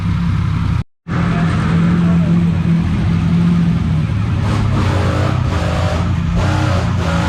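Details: Honda J-series V6 swapped into a 2008 Subaru STI with turbo kit, first startup: deep, strong note holding steady and pulling cleanly through a few blips after one brief cutout; sounds healthy.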